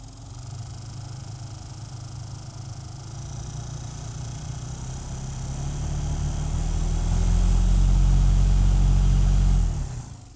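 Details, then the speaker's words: Honda Element heater blower, mic held close; a heavy, throbbing rumble and vibration growing louder with fan speed, caused by debris sucked into the blower fan. "so it just seems louder than it normally is and it's got kind of a vibration to it now a lot of people would just replace it"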